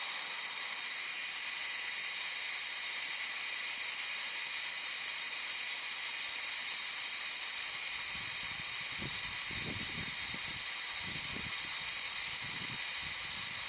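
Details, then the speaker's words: DeWalt D55146 air compressor, before check valve replacement: steady high-pitched hiss after the motor stops at about 200 PSI as air bleeds back past the failed check valve needle until it kicks on again around 160 PSI; leaking check valve. "as you can see it's going back down and it's going to kick on again about 160 or so and that's again because that check valve is letting the air by"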